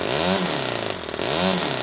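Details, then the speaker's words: Toyan FS-S100AC miniature four-stroke kit engine running on 30% nitro fuel, which the manual says not to use: crisp, buzzy revving rising twice and dropping off, sounding like a two-stroke; started right up, runs strong and clean. "that was the engine running on the 30 nitro that the owner's manual says not to use and the thing was a beast did you hear how that thing sounded"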